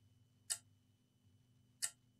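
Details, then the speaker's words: Sharp clicks about 1.3 seconds apart from the charger on a dead Asus TUF FX505 gaming laptop, cutting out and retrying against the main power rail shorted at zero ohms on the capacitor; some liquid damage suspected. "I mean you can see the short from the input remember the clicking uh the clicking power supply can you hear the"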